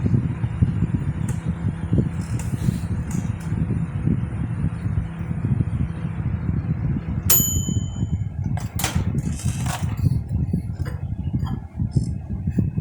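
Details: LG microwave that was noisy from its cooling fan, retested after re-centring the loose fan rotor with a shim washer: low, steady hum with a few light clicks and pings; fan runs evenly, no rattle or wobble.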